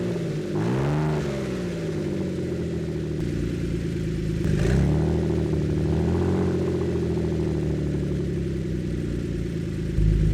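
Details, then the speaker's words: Ford Flex EcoBoost running with no exhaust fitted: loud deep raw rumble swelling with throttle blips, settling to raspy idle around 1,000 rpm; rest of exhaust still to be fixed. "Let's see what this sounds like with open exhaust per se. I kind of like it. It sounds really deep and really gnarly."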